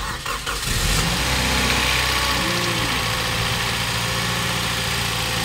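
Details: Toyota Vios petrol engine after overhaul, oil sludge cleaning and valve clearance adjustment: cranks, catches and settles into a steady, even idle, the earlier typewriter-like ticking from the top end now gone.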